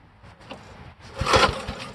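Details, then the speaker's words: 1973 Briggs & Stratton engine on a vintage Parker Thatch-O-Matic, flooded earlier, untuned, on two-stroke gas: short high squeal rising with each cord pull over coughing thumps; owner wonders if it's the belt, cause unclear. "what in the world is that noise i don't think it's the belt oh my gosh is it the belt why is it squealing like that"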